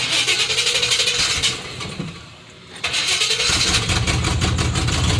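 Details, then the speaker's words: Chevy Silverado (88–98 generation), no cam, also has an exhaust leak: lumpy idle sags, nearly dies and keeps stumbling, won't hold idle; owner first suspected vacuum leak, later timing or distributor; cause unconfirmed. "Watch, it'll die. See, that's what it does. Has a vacuum leak."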